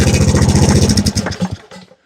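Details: Briggs & Stratton engine rebuilt after locking up from running without oil, first start on a cart: the small engine fires strong and even, then winds down and stops cleanly when the ground is unplugged; a healthy run with no knocks or rattles.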